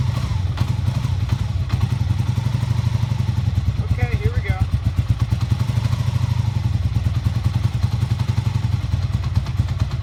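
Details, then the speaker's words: 1988 Honda Super Magna VF750 motorcycle after clearing hydrolock, fresh gas, rear spark plugs refitted, choke on: steady, even low putter with regular firing beat, no knocks or misses, running cleanly; carburetors still need cleaning for idle. "I'm just running pretty good I think I still need clean the car streets and when idle we're going to be doing that in next video so stay tuned for that"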